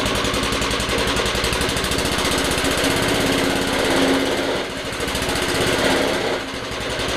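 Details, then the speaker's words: Old lawnmower bought not running, after its seized drive chain was freed and it was reassembled: a small single-cylinder engine fires in a quick, steady beat and holds speed without misses. Normal running. "but yeah it's working that sounds come on"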